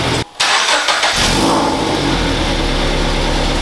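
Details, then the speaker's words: 2012 Toyota 86 GTS boxer, first start after Tomei UEL header install: catches after a short crank and settles into a raspy, puffing idle with a ticking chuff; exhaust leak. "and we are now ready for our first start so whenever whenever you're ready it sounds like a leak doesn't it"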